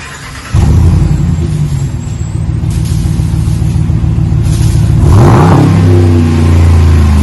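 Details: 2020 Ram 1500 Big Horn with a new single chamber V-tube muffler, 5-inch black tips replacing 4.5-inch, resonators kept against drone, stock front and factory cats. Deep throaty rumble swells with revs and settles back, no rasp or leak ticks. Normal exhaust note.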